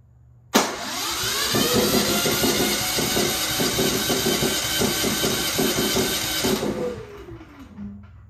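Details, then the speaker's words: Genmax GM9000iED generator after ignition module replacement, restarted after the fuel valve was shut to burn the carburetor dry: recoil pull catches, engine races raggedly several seconds then quits; hard starting, cause suspected not confirmed. "I was trying to burn the the gas in the carburetor by shutting off the the gas valve but it's not starting now so let me try it again with the button open always work"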